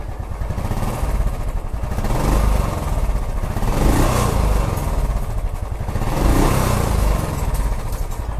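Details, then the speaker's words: Royal Enfield Classic 350 after new valves and rings, which replaced a knocking on pickup, plus a new rear caliper piston and O-ring: even, steady single-cylinder thump swelling with revs, no knocking; normal idle. "अभी हमने bike को जो चलाया बहुत अच्छा लगा और चलाने के बाद ही आप लोगों को स्टार्ट करके दिखाया साउंड क्वालिटी एकदम बेहतर है"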